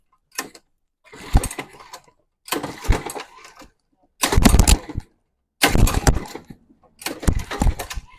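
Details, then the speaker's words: Mini bike small engine that hasn't run in a long time, oil changed and engine flushed but spark plug not changed, pull-started six times: short rough chuffs that never catch. It cranks but won't start; cause unconfirmed. "now you got a it haven't ran in a long time so it's like just trying to filter the come on baby it it definitely has life"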